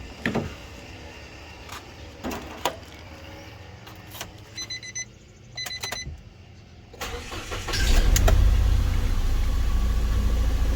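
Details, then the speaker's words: First-generation Nissan Almera 1.2 three-cylinder, stumbling and nearly stalling: after starting, lumpy idle with recurring stumble, heard at the exhaust too; misfire at idle. "มีอาการเครื่องสะดุดนะครับก็ก็เดี๋ยวเราไปลองสตาร์ทเครื่องแล้วฟังเสียงดูกันเลยว่ามันสะดุดประมาณไหน"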